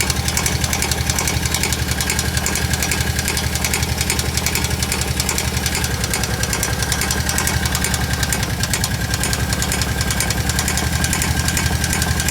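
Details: Kawasaki KVF750 at idle: a loud, hard knock about three to four times a second. The owner thinks it comes from the rear cylinder; the valve tappets were checked and are fine, so the cause is unknown.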